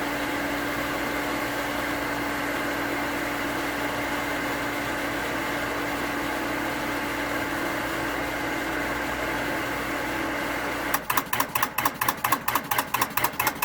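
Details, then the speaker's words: New 1 hp cast-iron booster pump (replacing a worn-bearing Sta-Rite): steady hum, then once pressure builds, sharp clicks about twice a second as the pressure switch chatters (short cycling), before the pressure switch rewire. "So, problem I'm having, I've looked it up, and some people call it short cycling, other pressure switch chatter, and I just want to give you a quick demo. So it's going to pump up. When it's full, it will chatter."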